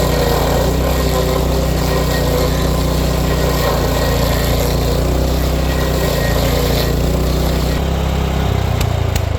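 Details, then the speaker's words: Power King stump grinder grinding a stump after replacing failed, knocking grinding-wheel bearings and sharpening teeth: engine pulls steady and even under load, no knock from the wheel; clutch growl normal; running smooth. "It's a lot smoother with those new bearings."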